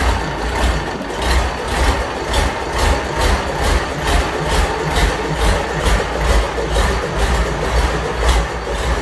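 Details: Fordson Major tractor with a Perkins V8 diesel, first start after a long time with tick-over being adjusted: deep idle with an even, rhythmic throb a little over two pulses per second and no knocking. Healthy tick-over.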